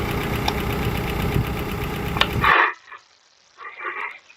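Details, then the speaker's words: Older car with 2.2-liter engine at idle: light, uneven top-end tick suggesting lifter noise; filter looks new, owner suspects oil too thin or missed oil changes, cause unconfirmed. "this car does sound like it has a little lifter noise take a listen now this car does sound like it has a little bit of lifter"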